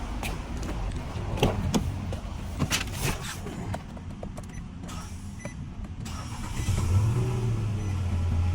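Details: Nissan Altima that would not start despite a new alternator and belt. Low hum and a few clicks, then it picks up cleanly and settles into an even idle; the fault was found to be a bad starter.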